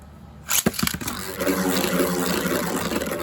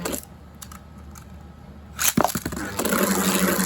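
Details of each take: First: Beyblade heaviest combo with Rubber Flat tip stalling around the tornado ridge: after launch snap, an uneven, rough scraping rattle instead of a smooth hum, showing poor balance: unbalanced spinning top. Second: Non-attack-type Beyblade being balance-tuned, with its tip flipped to a different orientation: even scraping whir that rises and fades over about three seconds with no harsh rattle; the top sounds balanced and is spinning clean.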